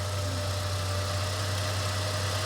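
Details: Ford Ranger that would not start, running after a jump with suspected old, dead battery, alternator reading 14.3–14.9 V: smooth low hum at a steady idle with no ticking or knocking; normal idle.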